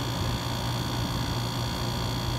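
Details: Dometic rooftop RV air conditioner after fixing a loud noise from compressor plumbing, dampened by foam wedged behind the line: now a steady low hum and faint airflow hiss.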